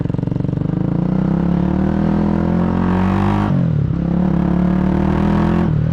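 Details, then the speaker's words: Honda GB250 Clubman with carbs cleaned, new bars and an aftermarket single-into-twin exhaust, on a ride-along: an even, throaty single-cylinder drone under load with brief dips at gear changes and no knocks. It is running normally. "And as you can see, or hear even, sounds good too. It's got these aftermarket single into a twin exhaust system, which I reckon is fairly custom."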